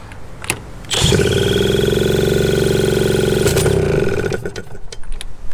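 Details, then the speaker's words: 1981 Suzuki TS250 two-stroke, long parked, with a new B9ES plug: it catches after a few coughs, then climbs to a loud sustained high rev on its own before dropping, repeating earlier behaviour. Cause unknown; owner suspects ignition issues. "See, that's what it did before. And it caught and then it kind of ran a little bit better and a little bit better and then all of a sudden I just started going nuts."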